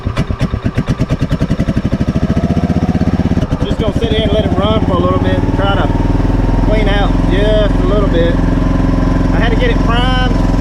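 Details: 2003 Club Car DS golf cart, previously seized single-cylinder engine after sitting about 3 years, fresh gas, on choke: thumping starts slow and uneven then picks up to a steady but ragged beat; rough running, no exhaust fitted.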